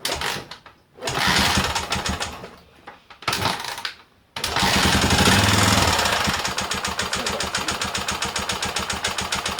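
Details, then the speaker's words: Rebuilt Honda XL250 single-cylinder, cases not split during rebuild: once running, a fast, steady hammering knock about four per second; piston contacting a valve plus a slack balance shaft chain. "should have split the cases because it ended up having problems and you'll hear it when it runs later"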